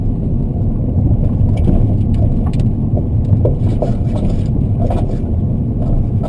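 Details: BC Racing coilover, rear left, under 4 months old: irregular dull knocks through road rumble while driving; tightening nuts and adjusting height and preload didn't help, and the shock cartridge had failed and was replaced under warranty.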